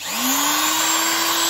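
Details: Parkside PGS 500 A1 500 W 220 V brushed die grinder: whine climbs quickly then holds a clean, steady high pitch with no rattle or grinding; running normally.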